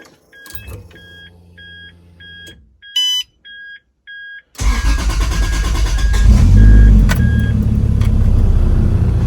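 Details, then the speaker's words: 1986.5 Toyota Supra MK3 converted to a 2JZ engine, cold start the next day after replacing a leaking fan clutch: chime beeps, then a slightly rough cold idle with an even fan whoosh and no roar; fan clutch healthy. "I'm going to do a start this cold start the next day just to let you know know what the fan should sound like when you start"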